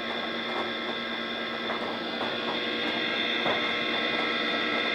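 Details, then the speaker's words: DEC VAXstation 2000 hard drive at power-on during self-test: steady high whine with irregular ticking and chattering about three per second; faulty hard drive. "okay so it looks like this one's got a faulty hard drive in it i'll have to see if i can do something about that"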